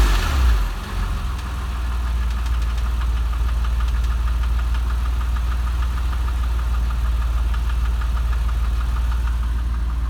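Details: 996 3.4 engine at idle: a light, sharp tick repeats about twice a second over the engine hum; the source of the ticking is not identified.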